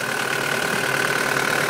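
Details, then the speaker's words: Mitsubishi Delica diesel, automatic, recently serviced: a steady even idle with a smooth fan whirr and no knocks or misses, quiet for a diesel, no oil leaks, a normal idle. "as you can hear it's running away it's it's actually pretty quiet for a diesel very good condition no oil leaks at all"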